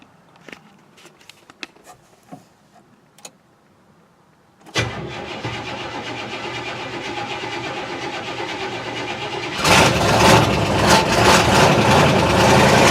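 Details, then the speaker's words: 1969 Buick Skylark Custom cold start after sitting six months, battery kept up by a dashboard solar charger. Long cranking to fill the fuel bowls, then it catches without pumping the gas and settles into a fast, even idle. Long crank after storage. "thing that's sitting six months that's how long it took the fire it up"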